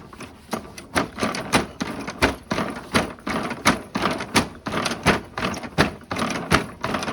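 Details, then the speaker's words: Cheap abandoned Briggs & Stratton walk-behind mower running in the cold: uneven popping beat around eighty-five a minute that stumbles and surges; black drip from the muffler, owner suspects a dirty carburetor; air filter unchecked; rough running. "hmm dripping a little black stuff out of the muffler probably has junk in the carb give her a little shaky cheek"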